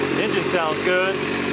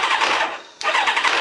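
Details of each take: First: Kawasaki ZZR 600 four-cylinder with rebuilt replacement engine and 4-into-1 exhaust, first run warming up: smooth, even idle, steady note with no rattles, ticks or hunting; carbs still to be cleaned. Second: Kawasaki ZZR 600 replacement engine at startup: a short cranking burst catches with a dropout, then a metallic clank and clatter, worse if it struggles to start. The owner attributes it to the starter clutch, which needs fixing. Clatter on startup.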